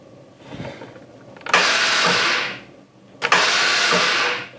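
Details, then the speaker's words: American Sportsworks 5150 go-kart with 545 on the odometer: two short bursts of free, hissy starter whirring with no engine firing. The starter spins but the engine won't turn over; the cause is suspected, not confirmed. "it won't turn over and it sounds like the sound is coming from in here"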